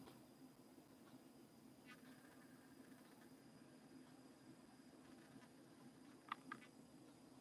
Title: Logitech C920/C922 Webcam Autofocus making strange sounds By:NSC